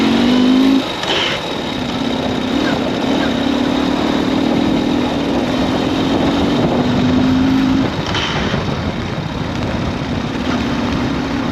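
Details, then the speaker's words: Ural sidecar motorcycle riding 47 km from a Hobart garage: steady droning hum with a rough, uneven rattle under it and wind; owner is sure the clutch disc splines are worn out, as before in Estonia. "Et, et je pense vraiment que c'est la roue crantée du disque qui est mort, comme en Estonie. Allez, je te fais écouter le bruit. Ouais, je suis sûr que c'est ça."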